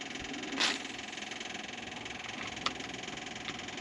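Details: LeRoi four-cylinder gas engine on a Bantam T35 crane (1945 GMC 6x6), after the throttle cable was loosened: a quiet, regular pulse at a steady speed with a couple of stray clicks, throttle cracked rather than wide open. It runs evenly.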